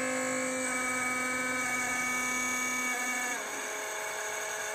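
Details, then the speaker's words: AnkerMake M5C 3D printer after 5 months of use: at start-up the fan gives a steady piercing high-pitched shriek that drops slightly in pitch and then stops; suspected link to initial heat-up, cause unknown. "After checking around and looking on the forums and stuff, I think that it could be to do with the printer heating up and that initial heat startup with the fan. It makes like a squealing noise."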